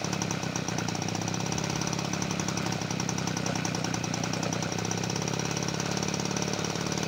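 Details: 1977 Peugeot 103 V moped after restoration, first start in a long time on full choke: rapid buzzy two-stroke running with fast popping over a busy rattle, revs wandering, not holding idle.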